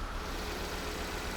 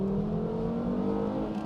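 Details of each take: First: Volvo V70 with newly installed replacement engine and new engine mounts, idling, engine shaking, no check engine light yet: low uneven lumpy pulse with stumbling rhythm; code reader later showed cylinder 4 misfire, one cylinder dropping out. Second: Volvo V70, $800 car with newly installed replacement engine, manual transmission, stock airbox refitted, first test drive: five-cylinder pulls cleanly in gear with smooth rising note, no stumble or misfire under load; quick but not fast, healthy acceleration.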